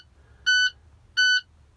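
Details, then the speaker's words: International truck with key in run position: sharp high beep about a quarter second long, repeating roughly every 0.7 seconds over a quiet cab; low air pressure warning buzzer. "annoying beeping now sewing knowing buzzing noise alarm what do we want to call it"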